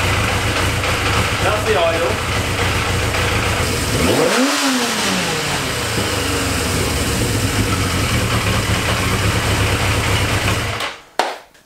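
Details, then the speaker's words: Yamaha XJ650 four-cylinder cafe racer project, steady idle that dips and stumbles unevenly; lumpy idle the owner suspects just needs carb idle adjustment, with leftover debris still coming from the exhaust. "you can see what I mean the idle it's a little bit lumpy on the idle"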